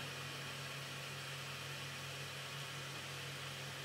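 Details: Voxelab Aquila FDM 3D printer, returning to zero (homing) before bed leveling: loud fan hum over quiet stepper-driver whir, no grinding or clicking; normal homing motion.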